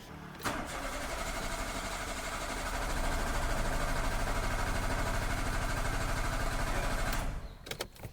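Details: Renault Sandero 1.6 8V with intermittent P0303/DF061 cylinder 3 misfire code, cranking for a relative compression test; even starter cranking for about seven seconds with alike compression strokes and no cylinder dropping out.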